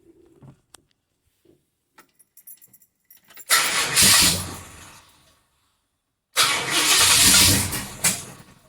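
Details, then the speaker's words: XC Ford Falcon 351 Cleveland V8, new MSD Pro Billet distributor, timing 18 degrees then adjusted: twice catches, chugs roughly about two seconds and dies, sounding like running on four cylinders. "sounds like so this is where I was at eight days ago at Elle's place it sounds like it's trying to run on four cylinders it just doesn't sound like it's running right"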